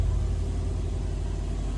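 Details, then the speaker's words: NASTI turbocharged car with Roger Clark Motorsport turbo kit, Corsa Veloce manifold and new 3-inch Y-split exhaust, running again after fuel system changes: deep, steady exhaust rumble at idle with an even beat and no stumbles or knocks; normal idle. "3-inch exhaust. Much better tone, much quieter, but the way they designed it with a nice 3-inch that splits at a very well-made Y there, I don't believe this exhaust is going to have any kind of power limitations, but it's not going to sound so ridiculous for driving around."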